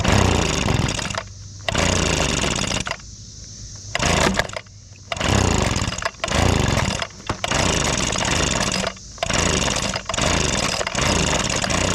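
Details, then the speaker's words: Old abandoned Echo two-stroke leaf blower in use: howls then drops away in repeated surges and cutouts, bogs and quits, with heavy smoke. "well it was running awful started to bog and then quit so something ain't right I just saw a smoke"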